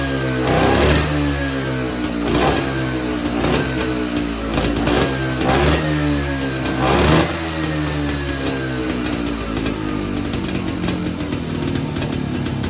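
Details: Evinrude Bobcat 25hp two-stroke snowmobile, sat 20+ years, diaphragm carb reassembled: buzzes with sharp rev blips and settles unevenly, and it can't be tuned. Owner suspects an air leak or the hardened carb diaphragm and plans a kit.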